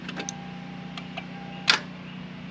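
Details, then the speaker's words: 1991 Lexus LS400 that sat about 11 years, new battery fitted: a handful of sharp irregular starter clicks with no cranking; poor battery terminal contact suspected, not confirmed, terminals then cleaned. "Okay, so that's what it was doing before. Um, we're not sure if it's just poor contact on the battery."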